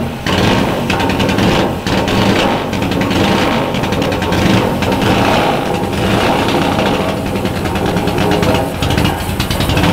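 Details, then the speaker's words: Supercharged (Kompressor) Norton motorcycle, first start after a newly fitted supercharger and a fuel-pump ball valve found gummed up. It coughs and stumbles with an uneven, lumpy beat and never settles into a steady idle. Running rough; fuel is leaking, source unknown; cause not confirmed. "ju ja aber läft nicht rund da müssen wir noch was machen aber sie läuft ja"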